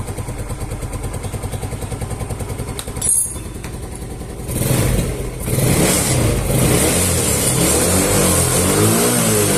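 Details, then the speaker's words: Yamaha Mio Smile scooter after valve clearance adjustment and valve cover O-ring replacement, previously hard to start; even idle about three to four beats a second, then clean free revs rising smoothly, running normally. "ya jadi permasalahannya sudah selesai ini bukan dari karburator ataupun bukan dari businya ini pengaruhnya itu dari bagian penyetelan di celak katupnya yang bermasalah ini sudah normal kembali"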